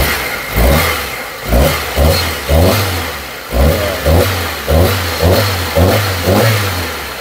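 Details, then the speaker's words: Mitsubishi Lancer ("pizza") that overheated from a burst radiator, blowing the head gasket, before engine refresh: revs rise and fall in repeated blips with a shaky, stumbling beat and no clean pull, a misfire. "Umaandar naman siya. Kaso yun nga lang, ayan o, kita yung inig ng makina, talyado."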